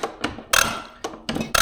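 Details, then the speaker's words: John Deere 350C dozer, number 2 injector on a pop tester, popping around 2,800 psi as expected for a used injector: sharp, crisp, even buzzing chatter with each pump stroke and nice atomization; normal healthy injector. "Right, nice atomization. So that injector is actually really good."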